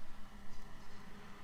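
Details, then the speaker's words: A Waeco camping fridge fan (part D12BM-2) is tested running on 12 V during a fan replacement. It gives a soft, even hum with no rattle, unlike the other fan, whose bearings are going; normal fan. "this guy here is purring like a kitten so the bearings are definitely going on that other fan"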